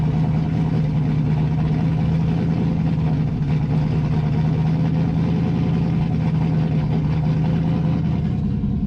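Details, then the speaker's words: Chevrolet Camaro Z28 V8 during tuning, with a deep steady burble at cold idle, even rhythm and no misses or knocks. Still smells a bit rich, but the cold idle is good. "Which, for a cold engine, that's good, man. I'm happy with that."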